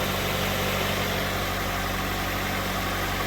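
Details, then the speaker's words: Honda with a completely dead battery, started using a repaired DeWalt 1400 amp jump starter: engine settles into a steady, even idle with no misses or knocks, alternator charging; normal idle. "and it's running as you can see it's picking up alternators charging"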